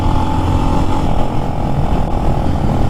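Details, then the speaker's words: New Lifan X-Pect single, about 70 miles, riding downhill not under load: throttle held steady yet engine keeps dropping out and catching every second or so; intermittent cut-out later fixed by adjusting out-of-spec valve lash. "you can see him holding the throttle in one position doing absolutely nothing and it's turning itself on and off and on and off"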